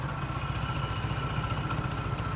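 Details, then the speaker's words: Honda Pridor single-cylinder motorcycle after timing chain replacement; chain noise and magnet noise gone, though the old engine keeps some minor noise. Even, steady idle with regular low thump, no chain rattle or ticking. "अभी engine में timing चैन की कोई किसी किस्म की noise नहीं है। Magnet की आवाज थी वह भी क्लियर हो चुकी है।"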